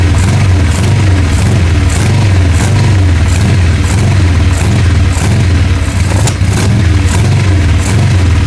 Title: 883 misfire/won't idle